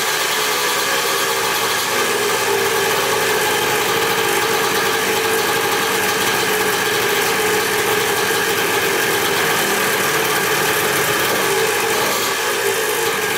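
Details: Used dirt bike, VIN reads 175 A4C, possibly a 1981, restarted after clutch adjustment. Steady buzzy single-cylinder idle holding an even pace for over ten seconds with no misses or knocks; normal idle.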